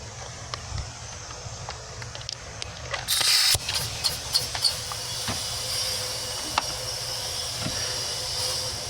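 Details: 2003 Chevy Silverado 2500HD 4x4 6.0, P0300 code, cylinder pressurised with both valves closed: steady hiss of air escaping out the exhaust; burnt exhaust valve not sealing.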